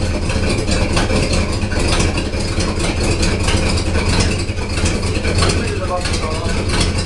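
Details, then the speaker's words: Cold 1979 Oldsmobile Cutlass Supreme, Olds 350 Rocket V8, on hydraulics: big V8 idling with a lumpy, uneven beat under the rumble; running rough, cause not pinned down. "Sounds like she's running rough. Huh? She's cold."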